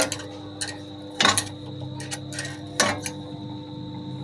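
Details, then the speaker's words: Table fan that will not turn when switched on: a steady electrical hum with no blade whoosh, plus handling clicks; the motor is stalled. "Table ফ্যানটা problem হচ্ছে যখন এটাকে আমি switch on করছি এটা চলছে না, ঘ টাইপের সাউন্ড হচ্ছে কিন্তু চলছে না।"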